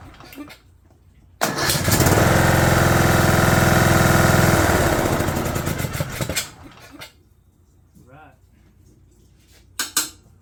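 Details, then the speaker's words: 2011 John Deere D110 lawn tractor with a replacement engine assembled from boxed parts, choke then off, throttle cable not yet connected: the single-cylinder engine catches at once and runs smooth and even with no knock, a normal healthy run. "We knew she'd smoke. Okay, fire up, buddy. Wow, runs good."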